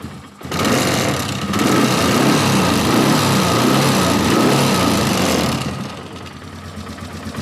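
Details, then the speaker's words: Polaris Sportsman 450 ATV, single cylinder, restored original Mikuni carb (ultrasonic-cleaned, slow circuit clean) replacing junk aftermarket carb, on jumper pack: runs rough and loud then sags and fades, won't take throttle. Cause suspected, not confirmed. "Yeah, she won't take any throttle. When I went through this carburetor, I know the slow circuit and everything is clean."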